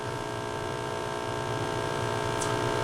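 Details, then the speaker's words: Hallicrafters SX-130 receiver just powered up, AF gain up: loud steady 60-cycle hum with buzzy edge; filter capacitors suspected, but possibly a shorted tube, unconfirmed. "would be pretty typical 60 cycle hum which you would assume would be the filter capacitors right there"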